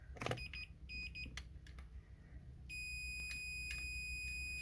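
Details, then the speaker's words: Yanmar 3GM30F sailboat inboard no-start diagnosis, multimeter continuity on the start switch: short broken beeps, then a steady high beep; start switch passes. "So there you have it, the switch is working."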